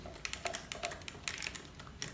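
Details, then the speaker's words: Panasonic Lumix GH5 camera body shaken with lens and battery removed; loose, uneven light clicks in quick bursts, like something small moving inside. Owner suspects the unpowered floating stabilised sensor, probably normal; unconfirmed. "it's the sense of free-falling that's probably that's probably normal right I mean this has stabilization is that what is that the sensor wobbling on its own stabilization without power"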